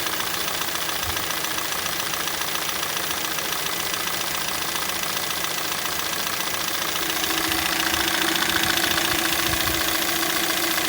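A sharp, even knock about three and a half times a second rides over the cold idle, a cold-start knock of unknown cause.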